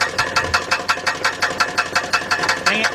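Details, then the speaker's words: 2006 GMC Envoy XL Denali 5.3 V8, jacked up and in gear, recorded under the car at the bellhousing: sharp, very regular metallic knocks about three a second from the flexplate/torque converter. "you know what that sounds like the flywheel or converter death I'm back here is it on this it's right here at the converter"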